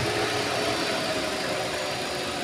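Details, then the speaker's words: Wuling Confero with new Denso AC compressor, stationary at idle: smooth even hum with no knocking or rattling, compressor quiet because new, clutch engagement barely audible; normal AC compressor operation. "itu kan lagi berhenti tuh halus suara kompresornya juga engak berisik karena ini masih baru ya"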